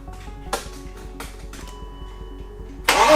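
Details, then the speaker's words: BMW E36 328i 2.8 L six-cylinder, abandoned for 7 years, jump-started: steady even cranking, engine turns over but never fires; crank-no-start. "That was really close again. But no matter how many times I tried, it just didn't want to start. It's good news that the engine's turning over."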